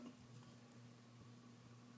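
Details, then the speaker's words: Ceiling fan running quietly with a soft, steady low hum, vibration basically gone after tightening the small screw securing the light glass; the vibration had reduced when the light was lifted. "and listen to that the vibration is basically gone"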